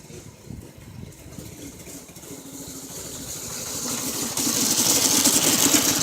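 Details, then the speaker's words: Seven-horsepower single-cylinder engine on a home-built golf cart, first test ride, bad carburetor blamed: uneven putter picking up speed, beat wandering and stumbling under load amid tire and road noise; rough running. "well as you seen it does run it runs like crap but it does run"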